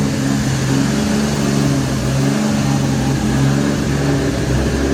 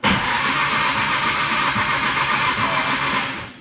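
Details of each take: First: Nissan R33 GTR S1 with a NISMO ported head (bigger valves, copper beryllium seats) and quiet HKS titanium exhaust, light revs: a smooth, even note swelling and settling, soft muted exhaust, no knocks or rattles. It sounds healthy. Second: Nissan R33 GTR S1 NISMO build: the engine spins steadily on the starter with an even whirring churn but never catches, then cuts off. It won't start because the Link ECU lacks the 36-minus-2 crank trigger cam sync setting for the HKS.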